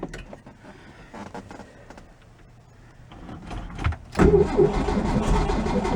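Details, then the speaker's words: 1965 VW Beetle with freshly rebuilt air-cooled flat-four, first start after installation in the car: brief crank, fires, settles into even steady idle with no knocks or misses; normal healthy idle. "all right we'll take it we'll take it mama's happy"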